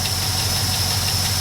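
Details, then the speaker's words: Truck with a replacement engine idling, not driven often: steady idle with a light, regular knock pulsing underneath; owner was told it will clear up with driving, cause unconfirmed. "I don't think you can hear it's got a little bit of the sound to it but it'll clear up as you drive a little bit"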